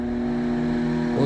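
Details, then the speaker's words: Electrolux MF41 31-litre microwave after wrong repair work, opened up with the magnetron disconnected: steady loud, heavy low electrical hum, then a beep. Noise continues, pointing to the oversized high-voltage transformer buzzing. "vou ligar continua o barulho beleza"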